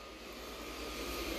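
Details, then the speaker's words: Chinese diesel air heater idling down after shutdown, fan doing its final cool-down: a steady, even rush of air with no knocks or rattles. Normal cool-down fan run. "that thing is just doing a fine final cool down"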